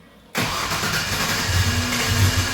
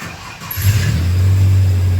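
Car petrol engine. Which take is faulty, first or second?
first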